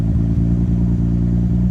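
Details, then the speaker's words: Misfire at idle in a 25-year-old motor-swapped KLZE MX-3 after rewiring the cooling fans: deep, lumpy idle that stumbles and drops out every few beats, a clear skipping misfire. Coolant still being pressurized; cause not identified. "you can still hear the skipping it not not running great"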